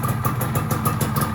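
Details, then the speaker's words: Yamaha F1ZR two-stroke motorcycle engine after rebuild with daily-touring porting, first start before break-in: quick, even popping at about six or seven beats a second with no knocks or rattles; smooth, healthy idle. "suaranya udah halus. Oke."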